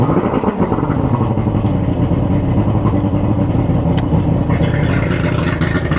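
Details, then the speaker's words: Boat outboard motor on its first start of the season after storage, with batteries checked, the fuel/water separator filter changed and the cover off, before the spark plug change; fires and settles into a steady, deep, even run with no knocks. "So I think we're ready to give it some gas and start it up. All right, guys. Going to go ahead and fire this up. And I'll leave you back here for the smoke show."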